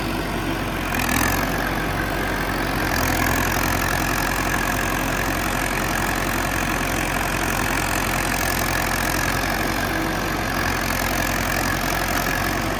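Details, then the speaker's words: John Deere 450C bulldozer diesel, warmed up after reassembly, relief pressures set and fluids topped off, backing out of the shop: a steady deep drone with no knocks, misses or squeals; acting normal. "I'm gonna fire it up and see if it'll back out of the shop. What a mess. Seems like it's acting fairly normal."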